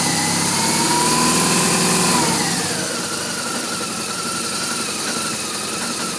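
Boxer twin blips up and then settles into a lumpy idle with an uneven beat; it idles rough, cause not yet known.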